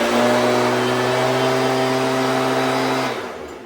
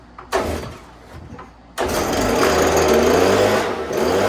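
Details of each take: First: Stihl BG86 two-stroke blower after carb adjustment (L→H→LA) that cured it dying at idle: high, steady drone at high RPM, revving slightly higher, no surging or dying, then winds down; running perfect. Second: Stihl BG86 2-stroke blower, before carburetor adjustment: revs briefly after the pull start, then the buzz sags and fades off when the trigger is released; idle set too low, so it stalls.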